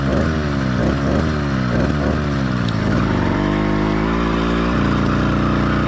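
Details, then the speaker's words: Cheap single-speed motorized bike kit two-stroke with single-circuit carburetor, half choke applied to simulate an excessively rich mixture: revs surge and stumble, then settle into a lumpy burble. Rich-mixture four-stroking with sluggish acceleration, idle wanting to die and heavy vibration. "in the next few Clips I'm going to apply about half choke on the carburetor to simulate an excessively Rich mix where the motor is getting way too much fuel and or not enough air"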